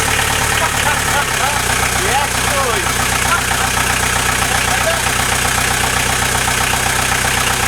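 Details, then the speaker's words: VW Transporter T4 diesel, newly fitted engine first start after about 20 minutes of cranking and a fuel stop solenoid fix, no exhaust fitted: loud clattery but steady, even idle; engine runs healthy. "There we are. She runs and lives and sounds healthy as fuck, doesn't she?"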